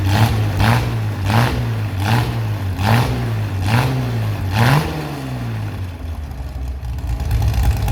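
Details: Chevy SS restoration engine with a non-original cam, running after the fuel level was lowered: clean revs rise and fall crisply several times, then settle to a steady idle; good throttle response, healthy.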